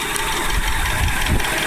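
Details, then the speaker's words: 1996 Oldsmobile Aurora settling back to idle: low, uneven knock under the running note, only at idle and gone when revved; owner first suspected a loose tensioner but now doubts it; cause unknown; knock at idle. "that's the noise i don't understand it's only at idle but if you rev it up it goes right away"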